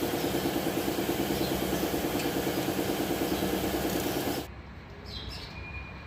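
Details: Nissan Navarra with engine misfire code P0304 (cylinder 4), idling with a steady stumbling beat, about three uneven pulses a second until shut off; one cylinder misfiring.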